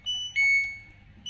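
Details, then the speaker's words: LG Turbo Drum Smart Inverter washer that showed lights but wouldn't start, after its control module was repaired and run on the bench: repeating two-tone beeps with a PE error because the module isn't connected to the tub; expected to clear once assembled. "untuk kode pe ini atau kode error ini karena tidak terhubung ke tabungnya ya teman-teman"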